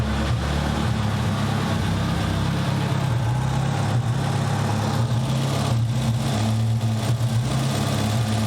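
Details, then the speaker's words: Nissan 200SX turbo at idle, running fairly decent but smoking, with a random misfire: a steady low idle with an occasional uneven stumble and no set pattern; cause unconfirmed. "Actually running pretty decent right now. Smoke. Certainly not great. It's got a random misfire to it."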